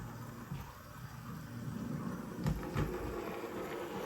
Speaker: much noisier when there is less ballast